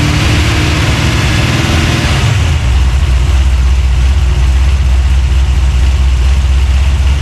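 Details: 383 stroker small-block V8, freshly built and swapped into a 1970 Monte Carlo, at first fire-up in the car: settles from a rev into a deep, lumpy, steady rumble with strong low-end thump, no knocks or ticks; healthy free revving.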